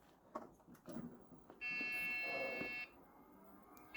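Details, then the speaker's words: Dell Optiplex 170L at power-up with no amber LED: a long steady beep, a pause, then it repeats. Beep code believed to indicate a memory problem. "Beep code. Don't have an amber LED. That sounds like the beep code for a memory problem."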